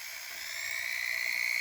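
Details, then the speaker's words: Foredom foot speed pedal with shortened switch spring; motor whine climbs and surges toward top speed as pedal passes about a third of travel and larger throw switch gives full throttle. "you hear that work where the motor kicks in you can hear the motor kick in that's when it's full long"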